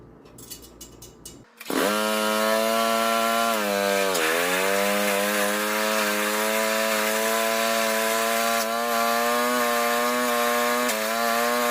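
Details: Rototiller small engine after pull-start repair, started by pull cord: catches after a few pulls and settles into a steady even run with one brief dip. Runs normally; tine engagement is still being checked.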